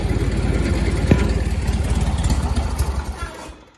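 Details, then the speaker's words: John Deere 317 garden tractor, not choked or throttled, a little cold: starter chugs steadily at three to four turns a second but never catches and winds down; hard starting, cranks without firing, later starts. "Hold on, it seems to be hard to start for whatever reason."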